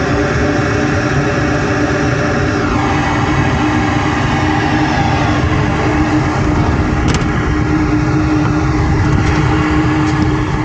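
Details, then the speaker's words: Lennox rooftop gas heating unit with a no-heat complaint, cycled on with gas valve lit: steady low rumble and even hum, no odd noises; it works, though the motor windings looked hot and the motor may need replacing; normal running. "It's working, but those windings looked quite hot. Let's put it that way."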